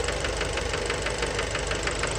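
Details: Fiat Bravo 2 1.4 T-Jet 150 HP, 215,000 km, recently serviced, close-up at engine: heavy metallic knock about six per second at idle; worn rod bearings confirmed, car scrapped, cause unknown.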